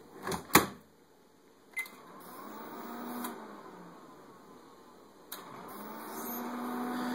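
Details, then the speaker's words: Whirlpool Gold microwave GH9185XLQ-0, empty: relay click, faint hum dies after about 3 seconds and restarts by itself; clock and timer don't reset, magnetron seems to cut out. Owner suspects EMI on control board or bad inverter board. "So, it completely flips off after about 3 seconds and starts again by itself. The clock doesn't reset. Timer doesn't reset."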